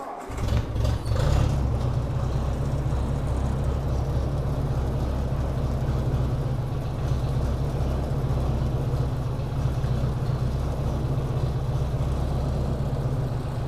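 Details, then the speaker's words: Idle of a 1957 Ford Workmaster 601 (641) tractor with a Marvel-Schebler TSX 765 carburetor, started cold on choke at about 24°F after new Autolite 216 plugs: uneven, stumbling idle with dropping pulses. Misfire persists; carburetor is being removed for rebuild. "you hear that kind of a Miss pulse and that's just at an idle"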